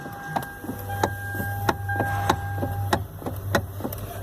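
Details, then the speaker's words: Hyundai i30 electric power steering column. Sharp dry clunks about 1.5 per second, slightly uneven, are the classic EPS column clunk from the worn bushing at the electric steering motor, due for replacement. "Pegaram aí, né? Esse barulho clássico aí que dá no coluna elétrica do i30."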